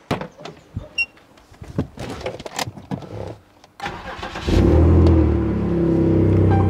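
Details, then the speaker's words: BMW E60 being prepared for an ITV inspection: the engine fires into a loud, rough, blatty drone as exhaust escapes mid-pipe through a leaking joint whose bolts are broken or stripped; exhaust leak. "es como suena demasiado encima no suena bonito porque se escapa el sonido por mitad entonces hay que hacer que no suene y es porque tengo unos tornillos rotos corridos partidos no me acuerdo de hace muchísimo tiempo y hay una Fuga que hay que solucionar"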